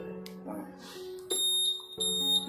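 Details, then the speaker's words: Honda Vario 150 smart key remote, answer-back buzzer re-enabled by pressing the button then the alarm button once, red light blinking: two sharp high-pitched beeps about two-thirds of a second apart; buzzer switched on and working. "Nah, ini berkedip, berarti itu menyala, hidup suaranya, buzzernya."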